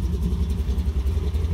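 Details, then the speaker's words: Stroker big block 1973 Plymouth Satellite Sebring Plus after the last fix, warmed up to temperature with the air cleaner back on: deep, even lope with no knocks or ticks; healthy normal idle. "sounds like run pretty good it is you didn't go rev the crap out of it until it explodes this time"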